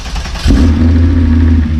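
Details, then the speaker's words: VW MK4 R32 VR6, heard from behind the car: catches and settles into a deep, steady, even drone with loud exhaust note and no knocks or ticks; healthy engine and exhaust. "That is an amazing exhaust. People ask me why VR6. That's why VR6."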